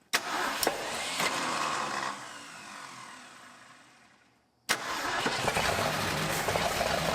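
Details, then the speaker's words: Abandoned 1962 Ford Thunderbird Sports Roadster V8, first start after over 20 years sitting: fires, dies, then settles into a steady, healthy run with slight valvetrain clatter; timing is spot on. "Sounds healthy."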